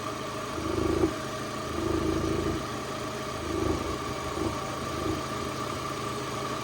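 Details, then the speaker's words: Copart Cat S salvage project car, around 80,249 miles, idling; low rumble swelling about once a second over steady hum, owner attributes it to the air intake rumbling, unconfirmed. Rumbling at idle. "let's have a look I'm making a rumbling noise Ah that's why"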